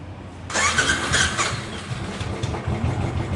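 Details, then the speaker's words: Royal Enfield Classic 500 (Desert Storm) cranking on electric starter: harsh rough rasp, then engine catches and settles; worn starter one-way clutch bearing behind clutch cover. "এটা হলো সেলফের আওয়াজ।"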